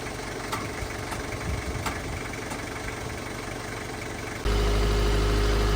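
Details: Truck that would not start, presumed flat battery: engine catches and settles into a steady, even low rumble with no knocks or misses; normal idle.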